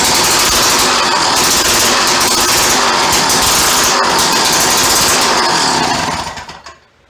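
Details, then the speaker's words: Free yard-sale auger, small single-cylinder engine with broken throttle tang, carburetor not removed: fires and runs with loud fast popping beat for only a few seconds, then dies. "Well, not sure about that. Just doesn't want to give me more than a few seconds. Kind of works."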